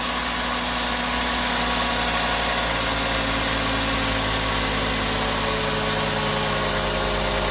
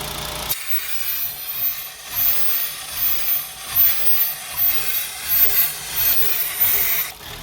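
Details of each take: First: 2007 Volkswagen Jetta 2.5 with code P2279 and misfires in cylinders 1, 3 and 5, rough surging idle, after replacing the faulty part (Dorman 917-064): steady, even idle with a smooth hum, no surging or whistle; problem fixed. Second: 2007 VW Jetta 2.5 at idle, P2279 and random misfires cylinders 1, 3, 5: very rough surging idle with loud high-pitched whistle when a hose is uncovered; ripped diaphragm vacuum leak, smooth when blocked by thumb.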